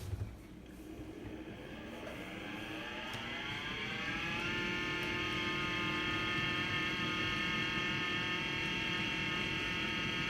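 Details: LG LD1419W2 dishwasher whose pump whines upward, then holds a loud, steady high whine during the wash cycle. It is abnormally loud compared with its normal quieter operation, a change that began within the last week.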